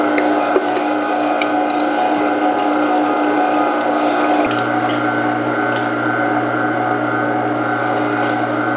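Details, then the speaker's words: Meat Your Maker 1 HP meat grinder, new, on a test grind: steady motor hum and gear whir at an even pitch, slight tone drop under load; working normally, good enough to skip a second pass on the bigger plate. "Okay, so I'm not even going to run it through a second time on the bigger plate because it's clearly, it did a fantastic job."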